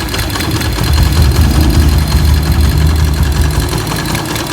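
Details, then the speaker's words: Motorcycle single just fitted with EDO E2 aftermarket camshaft replacing S1: lumpy, uneven idle with loose ticking two or three a second, deeper exhaust, more power; rough running, cause unknown, S1 was smoother. "Lihat, suaranya benar-benar kasar. Tidak yakin apa yang sedang terjadi."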